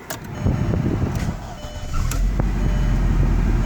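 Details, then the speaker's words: 2002 Volkswagen Passat 1.8 turbo after an engine foam-cannon cleaning, with the check engine light on for a long-running secondary air injection code: starter catches quickly and it settles into a steady, even low rumble with no misfire or knock; normal start. "Alright guys, so I forgot to show that this car still runs, so let's start it up."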